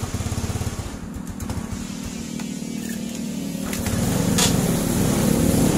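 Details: Carbureted Yamaha small single-cylinder scooter/motorcycle (Mio/Fino/Jupiter Z/Vega ZR) after checking ignition circuit (stator, regulator, fuse, key, CDI, coil): fires up and picks up revs smoothly, steady beat, no misfires; normal running.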